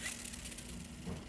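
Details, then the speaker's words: Curado DC baitcaster reel about 4 years old, part of its handle lost, before cleaning: cranking gives a quiet, steady, sandy grinding with no smooth spin, from dirt and grime packed inside; gritty reel from dirt buildup. "I've had this Curado DC here for about 4 years now, and I'm telling you guys what, it does not sound the best."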